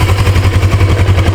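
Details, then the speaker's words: 1980s Suzuki GS450A automatic on its stand, idling in drive (high) gear: rapid, even thump and rattle at about ten beats per second while the motor runs well. Owner suspects a loose gear in the transmission. "so something in there there's a gear or something loose that's uh floating around when you go to drive gear"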